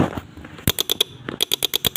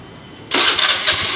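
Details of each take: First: Honda Beat injection scooter with dim lights when horn used; pressing starter gives only rapid sharp clicks, about nine a second in two bursts, no cranking. Solenoid chatter, possibly from a weak battery. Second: Honda Beat injection scooter, after fuel pump service and repair of the wiring, still on the old battery; quiet, then a crank catching straight into a smooth even buzzing run. Normal electric start, charging now normal.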